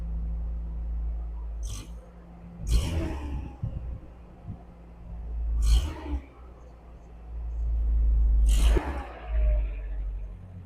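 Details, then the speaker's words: 1999 Mazda B2500 after an exhaust clamp was replaced to stop a leak, revved with three throttle blips: deep rumble now coming from the tailpipe with no side hiss or puffing; the exhaust sounds sealed. "It now. sounds more like it's coming out of the tailpipe. Does it sound better? Sort of."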